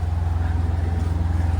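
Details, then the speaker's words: Sailboat's diesel motor running after the belt was tightened and its loose bolts fixed, a repair done underway. A deep, even thump at about thirteen beats a second with the earlier rattle gone. The engine runs smoothly and healthy. "well that was an easy fix it only took about 15 or 20 minutes there that rattling noise is gone"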